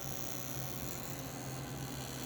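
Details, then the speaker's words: Model train smoke unit fan idling as the trim pot lowers voltage from 3 to 2.5 to 2 volts: low, steady hum with no wobble or rattle; slow, even idle, though it needs about 2 volts to start. "three volts two and a half two volts I keep cranking this trim pot is for the idle speed"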